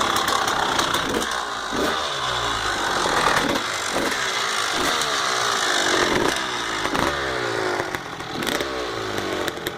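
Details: 1999 Honda CR250R two-stroke: raspy revving in repeated blips with a loose metallic rattle through the bursts; engine rattle, cause not identified.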